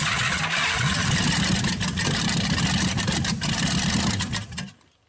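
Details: 1956 Packard 374, formerly stuck, first run in years, burning off oil: loud even rumble with a few revs, no knocking or valve clatter, then shut off; normal running.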